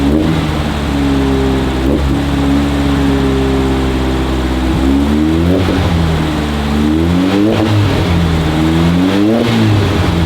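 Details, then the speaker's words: 1968 VW Beetle air-cooled carburetted flat-four, just started with choke on after priming. Idle wanders and surges in short swells rather than holding steady. Owner says the carburetor needs tons of adjustment; engine smoking. Rough idle. "we won't idle the best right now and as you can tell the carburetor needs tons of adjustments"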